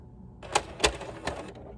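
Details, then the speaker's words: PS3 slim disc drive trying to spin a game disc: three sharp mechanical clacks over a brief whirr, same noise with a second disc, so owner doubts disc imbalance; abnormal clicking, cause unknown. "there's that same noise that it made with the smackdown versus raw so yeah i don't think it's a disk balancing issue"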